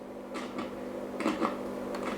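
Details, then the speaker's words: 1937 Telefunken Torn.E.b. WW2 radio: scattered sharp crackles and pops over a steady low hum while turning the tuning knob with the capacitor at end of travel; fault in the tuning axle/knob, a missing ground connection. "it also does this when we rotate this knob and this time we are not turning the capacitor because the capacitor is all the way to the end which means that uh the issue is somehow related to this axle here or to this knob"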